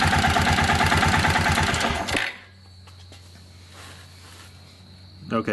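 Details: Kawasaki Bayou 400 ATV after the oil pump drive gear repair, run to check oil at the head feed-line banjo bolt. Single cylinder thumps evenly at idle for about two seconds, then cuts out; runs normally, with oil reaching the head.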